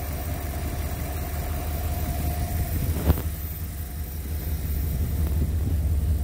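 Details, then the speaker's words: 1957 Ford Thunderbird after new exhaust, Pertronix electronic ignition, new coil and tuned rebuilt carburetor: low, even idle burble with no skips; engine firing on all cylinders, brake booster vacuum leak still pending. "not hearing any misses anymore well we're getting there fun to drive and ride in"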